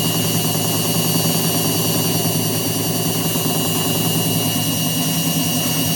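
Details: Indesit WITL106 washing machine on fast spin: steady spin hum with a rough, repeated drum knock about once per second underneath, with vibration; cause of the knocking being investigated, not yet found.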